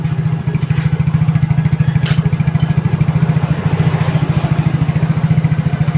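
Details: Yamaha Mio J scooter, reassembled after repair for smoking caused by a stuck piston ring expander, cleaned to fix: crisp even single-cylinder idle, about three and a half beats per second, no missing or knocking; healthy.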